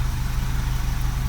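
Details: 2009 Vauxhall Corsa D 1.2 petrol, about 40,000 on the clock, idling after the failed crankshaft sensor was replaced with a Bosch 9118368 to fix P0335: steady, even low idle with a smooth regular pulse and no knocks or stumbles.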